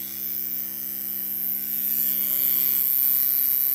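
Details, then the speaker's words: 1982 Porsche 924 Turbo, fuel pump relay jumped, engine not running: steady electric buzz with fast rattling pulse about four per second from the fuel distributor frequency valve; injectors deliver no fuel, owner suspects warm-up valve and no system pressure. "it's that frequency valve that's what making all the noise so I think it's the warmup valve I don't think it's creating any system pressure at all"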